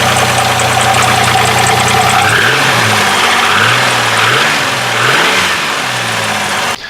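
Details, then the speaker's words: Camaro project car V8, used engine, being blipped; harsh clattering knock over the revs, rough and diesel-like; owner suspects rod knock, wrist pin slap or piston slap, unconfirmed, and engine is going for a complete rebuild. "particularly on the rods because that's gonna have rod knock and I've either got that or wrist pins slap going on or piston slap going on right now in the car and it sounds horrible"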